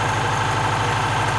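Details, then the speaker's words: Saab, one owner, off the road 32 years in a barn, first run: even, steady tick-over with a soft regular beat and no knocks or misses, smooth like a sewing machine; healthy idle. ">> Listen to that sound. >> Sounds amazing."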